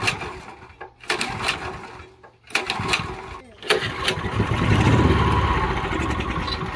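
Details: Honda GX340 11 hp ex-pressure-washer engine after carburetor and fuel tank cleaning, jets checked, oil added, premium fuel and starting fluid: several short pull-start bursts of chuffing, then it catches into a rough, uneven run; hard starting, cause not confirmed.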